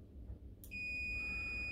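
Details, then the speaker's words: On/off switch tested with a multimeter on continuity: a steady high-pitched beep through the closed contacts, which stops when the switch is pressed. The switch is normally closed and good. "Beeping, stopped. So that tells me that switch is good. This is actually a normally closed switch."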